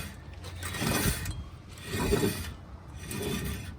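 Turning the hub by hand gives a gritty rumbling grind that swells about every second and a half: a worn rear wheel bearing.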